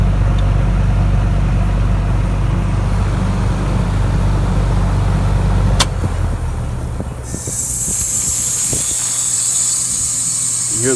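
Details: Ameristar heat pump after defrost control board replacement, with defrost forced using a jumper: steady compressor hum, then a sharp click and a rushing whoosh as the reversing valve shifts into defrost normally.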